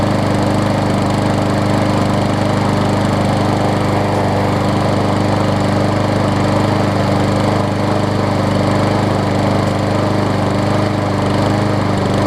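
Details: Scotts self-propelled push mower with Briggs & Stratton Quantum engine, about 6.5 hp, after carb clean and air filter refit, having sat a while: steady, even single-cylinder drone at constant speed, no surging or misses; runs smoothly.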